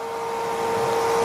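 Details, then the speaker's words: Diesel vehicle with DEF mistakenly put in fuel tank, not started; transfer pump (Raptor) draining tank, sucking syrupy DEF settled at bottom: steady hum near 450 Hz, strained tone with slowly rising load. "You can hear the tone of the Raptor now. It's actually sucking DEF fluid in,"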